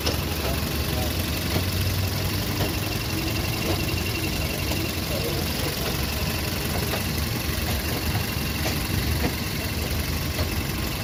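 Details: VW Polo Vivo 1.4 CLP engine after replacing the heat-damaged PCV valve pipe and the number 1 coil pack to cure random/multiple cylinder misfire. Quiet, even idle, soft low hum, no stumbles or missed beats: normal idle.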